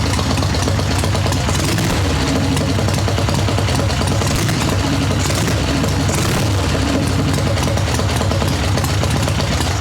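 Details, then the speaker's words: Harley Ironhead Sportster chopper, choke off but not fully warmed up: uneven, choppy, loping idle with a dry, thin exhaust note; running slightly lean after the carburetor was down-jetted to lean out a rich idle. "now it's a little on the lean side I can hear it from what I down jetted this to but again choke is off and it's really not warmed up yet"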